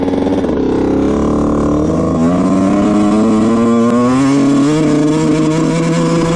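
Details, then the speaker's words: 2000 Honda CR125 two-stroke dirt bike ridden near full throttle: revs climb slowly and unevenly, stumbling and breaking up, bogging badly, blowing lots of white smoke. "Alright, yeah, it's bogging really, really bad. You could hear it in the video. It's not too good. Breaks up, bogs, probably doesn't go over 10 to 50 miles an hour."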